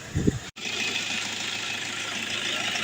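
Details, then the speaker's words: Car AC after refrigerant drain, vacuum and recharge, engine idling with AC on full: steady, even idle with constant blower hiss; compressor engaged and running normally. "ครับก็ทำการเดินเครื่องเรียบร้อยนะครับแอร์คอมเพรสเซอร์แอร์ก็ทำงานนะครับ"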